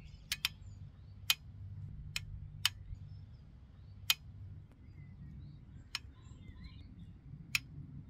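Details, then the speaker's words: Bicycle mechanical disc brake, AliExpress caliper with its stock pads, at the bottom of a hill after hard sustained braking: sharp, irregular metallic pings every second or so as the very hot rotor cools; pad compound suspected. "it got incredibly hot with sustained braking and you can hear the disc rotor pinging here at the bottom of the hill"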